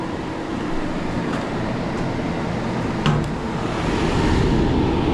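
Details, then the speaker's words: Two-pipe fan coil unit with a rewired three-speed fan motor (fourth speed taped off), tested on high speed: steady, strong rush of air with a low hum and no rattle, scrape or squeal. The blower runs healthy. "All right, we're testing the three speeds. Low speed looking good. Nice and quiet. Medium speed. All right, sounds good. High speed. Oh, yeah."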